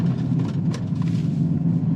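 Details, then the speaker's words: Audi Q7 3.0 TDI after transfer case replacement (old case bound on turns, burnt fluid, metal shavings), with DPF delete pipe and Stage 1 tune: coasting through corners, steady road rumble with no clunks, binding or skipping. "So it just takes and coasts through corners. It's like it was when we first got it."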